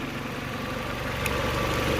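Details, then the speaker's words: Peugeot 307 CC after spark plug replacement cured a compression-type engine noise: steady, even idle with only faint normal injector ticking and no stumble; the earlier noise is gone. "on a juste bruit absolument normal le cliquetis des injecteurs et on n'a plus le bruit yeux qui piquent"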